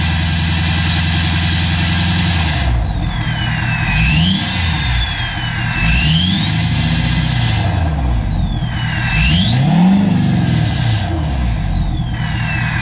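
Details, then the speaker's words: King Ranch diesel truck, first startup after a new No Limit Fab turbo, S&S DCR conversion and GDP piping, nearly at operating temperature with no leaks: even clatter at idle, and revving brings a rising then falling turbo whistle; healthy. "we're just about up to operating temp and so far so good so I don't want to jinx it but I think we can consider this as a success so far that sounds so good I'm so stoked on this"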